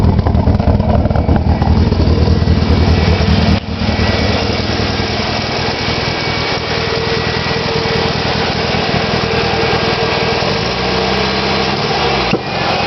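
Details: Nissan SR20DET engine after sitting for three months: idle stumbles with uneven, lumpy beats and occasional dropouts instead of a smooth run. Misfire at idle; cause unknown.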